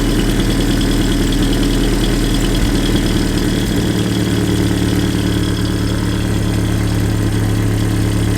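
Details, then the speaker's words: Land Rover Series II 2.25 petrol with Weber carburettor and aftermarket air filter, warmed up: idle speed lowered via side screw, now slower but uneven and lumpy, not running perfectly; target about 600-800 rpm. "See, that's already idling a bit slower. Not running perfectly, as you can hear."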